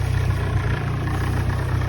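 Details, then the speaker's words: Ford Sierra Cosworth idling with worn engine mounts; heavy, lumpy idle with deep pulsing shake and a rattle, which the owner thinks is the headlight vibrating. "Yeah, the mounts have got to go. Flipping headlight, I think, making that noise."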